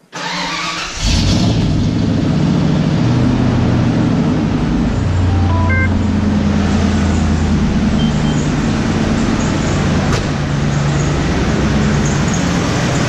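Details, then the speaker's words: 1994 Ford F150 4x4 V8 at start-up: steady idle with brief high chirpy squeaks; alternator recently replaced, no squeak with belt off, so suspected accessory idler pulleys, to be replaced. "You can hear that squeaking noise. The alternator, because I just replaced that, and when I walk around it, I believe it's coming from down in here."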